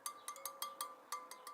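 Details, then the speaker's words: Tapping the spokes on a Suzuki DR650 wheel after fitting a new tire: a thump or dull clunk instead of a clear ping marks a loose spoke to tighten about an eighth of a turn; several still slightly loose and ring duller and lower. "you want to tighten that spoke I like an eighth of the turn recorder well are still kind of loose but see you hear them all making it kink"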